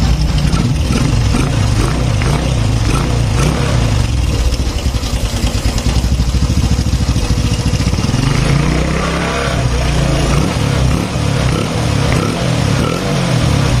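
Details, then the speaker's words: Honda Supra X 125 fuel-injected single on first start after tune-up and reassembly, fresh oil: busy fast metallic top-end rattle over idle; slack cam chain, tensioner not yet filled with oil. "Kalau pertama nyala tadi dia bunyi trok trok trok trok trok trok trok trok trok trok. Itu tandanya rantai keteng masih kendor."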